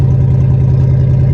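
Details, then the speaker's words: Cadillac limousine abandoned 10 years, catalytic converter cut out of the exhaust: very loud, deep, blatty unmuffled rumble at a steady idle; loud exhaust from missing catalytic converter. "are you serious right now somebody chopped the cat there's even spider webs inside of this thing"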